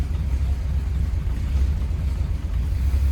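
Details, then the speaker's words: 1939 Ford Deluxe 5-Window Coupe, flathead V8, just after starting. A deep, even, low burble with no misses or knocks settles into a smooth, steady, normal idle. "Let's go ahead and fire it up. You can see how smooth this thing runs."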